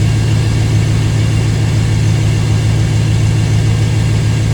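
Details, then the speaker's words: 1997 5.7 L (350) Vortec V8 with factory exhaust manifolds, started after a water pump replacement and coolant refill: deep, even idle rumble with no knocks, ticks or misses. Steady and smooth, the engine runs fine. "I think it sounds good it's a 5.7 350."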